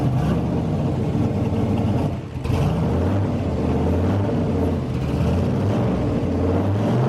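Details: Turbo V8 street truck on E85 after turbo rebuild, with restrictor fitted; steady low burble with short rev blip, turbo spins easily with no rubbing or scraping: normal idle and revving.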